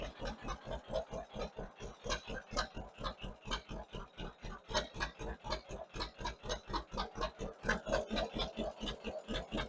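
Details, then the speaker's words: 1958 John Deere 530 with a rebuilt carburetor, load needle set back to two turns from two and a half and low idle turned up slightly, tuned by ear. An even, steady putt-putt at about four beats a second with no misses or hunting: normal idle. "Turn up our low idle just a very little bit so we're idling smooth. And we're going to leave it right there."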